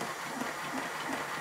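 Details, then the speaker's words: Lion 5-inch gauge model locomotive run on a rolling road with compressed air, slip-eccentric valve gear, running reverse then forward: hissing exhaust with soft, slightly uneven beats about three a second; needs mechanical attention. "from that short run I can see that there are problems with this engine which for me is a good thing"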